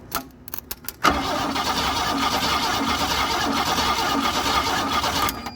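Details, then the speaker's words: GM Andino truck with a swapped-in Ford V6, left sitting for years in a field, cranked by jumping the starter solenoid: the starter spins it evenly and briskly for four seconds and it never catches. "But it's cranking right."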